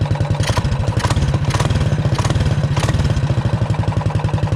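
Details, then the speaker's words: Realtree RT200 196cc minibike after GoPowersports stage 1 kit (pod filter, adapter, jet, cover) and homemade exhaust, choke on; loud quick even single-cylinder thump with sharp exhaust pops, no knock, definitely louder; normal running. "Definitely louder."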